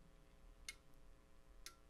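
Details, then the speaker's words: Icom IC-7300 internal antenna tuner while tuning across the 40 m band, mic moved closer to the radio: two crisp relay clicks about a second apart over a quiet hum as the tuner switches to memorized settings; normal. "you'll hear some relays clicking which is the tuner changing settings as I get to different areas where it remembered different settings"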